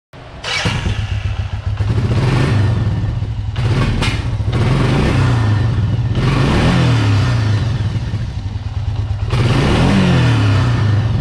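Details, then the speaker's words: Circa 2000 Suzuki LT-F500F Quadrunner 500 after fixing backfiring and no-rev by capping the faulty vacuum petcock's carburetor vacuum port: engine revs freely and cleanly up and down with no popping. "you can hear the quad is running way better now so let's take it for a test drive"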